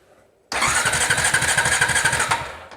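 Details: Honda TRX350TE Rancher ATV, cranking while checking stator voltages (about 7.5 V): steady pulsing chug about five times a second for two seconds, never catches; no spark at the plug. Crank, no start.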